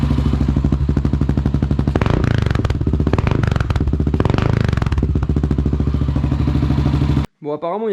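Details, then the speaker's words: Dominator scrambler single-cylinder after oil top-up: idle thumping with light metallic chatter and uneven beat; timing chain rattle reduced at low rpm, idle unstable due to intake horn, needs mixture adjustment. "On entend moins la chaîne de distrib là, un peu moins en bas régime. Donc c'est une bonne chose. Par contre, le ralenti, on sent qu'il est instable."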